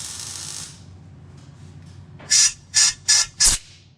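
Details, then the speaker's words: Rebuilt 14 bolt rear axle on old wood truck before refilling oil: four short sharp hisses of air pushed freely through the breather; breather not plugged, though its hose is cracked and weeping and will be replaced. "So I would say the breather's not plugged, although the hose has a crack in it."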